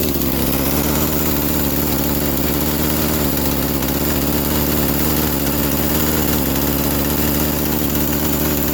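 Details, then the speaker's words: Poulan Pro chainsaw bought needing a tune-up, idle just lowered via carburetor screw: fast, busy two-stroke idle sits high and never settles, keeping the chain creeping; owner suspects previous owner's over-tuning of the carburetor is the cause, not confirmed. "so it seems like the previous owner might be tuning this and and might be playing around with this like way too much that's probably causing that chain to keep on going as you were hearing and stuff"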